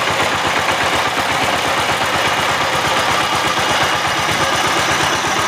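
Steady single-cylinder diesel thump at an even rate with no grinding or knocking from the gearbox; the tiller runs smoothly.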